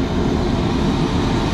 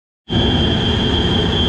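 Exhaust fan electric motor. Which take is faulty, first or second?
second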